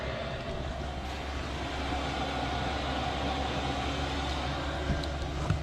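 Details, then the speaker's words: Diesel heater installed in a 1999 Bluebird TC/2000 skoolie conversion, tested after being secured in place: even low rumble with a steady mid-pitched fan hum, no surging or knocking; running normally. "That sounds like it'll work, and I'll be back in a second. That definitely works."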